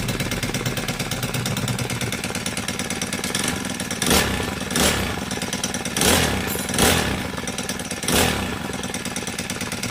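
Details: Honda GX35 brush cutter after a valve tappet clearance adjustment and clutch replacement to cure a metallic ticking: the small four-stroke buzzes along steadily with short throttle blips and no valve tapping; it runs healthy.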